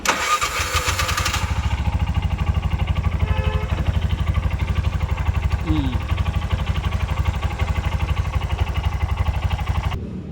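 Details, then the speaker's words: Bajaj bike (BS6) with RPM light starting trouble: sluggish, even cranking that never catches; the engine ground is loose and turns by hand, starving the starter, and battery-to-engine ground is needed. "ಾ ಇದೆ ಅಂದ್ರೆ ಗಾಡಿಗೆ ಎರಂಗ್ ಸಿಗ್ತಾ ಇಲ್ಲ ಅದಗೆ slow ಆಗಿ start ಆಗುತ್ತೆ"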